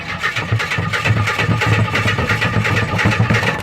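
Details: 1976 Jeep DJ5D postal Jeep, two-wheel drive, on a makeshift battery, with fuel fed from a jerry can, throttle pressed about an inch: steady rapid starter churn with an even low chuffing rhythm, turning over without catching.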